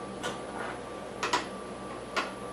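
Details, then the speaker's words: Guitar fret leveling, a machinist's parallel straightedge rocked across three frets after filing: light, uneven clicks as it rocks slightly on one proud high fret that needs a little more filing. "And there's no rocking. You can hear there's a little rocking. Hear it? And I'm talking very slight, so I'm going to touch it a little more off."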